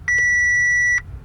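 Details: Crash-damaged Audi A4 S line after clearing fault codes: single steady high beep about a second long in a quiet cabin; dash warning chime with a fault still logged on the brakes (TPMS).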